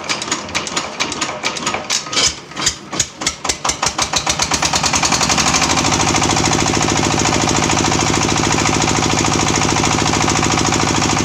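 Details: Sharp ZS1115 24 hp single-cylinder diesel, hand-crank start: slow cranking thumps pick up speed, then it catches into a steady, even diesel beat. Healthy normal running.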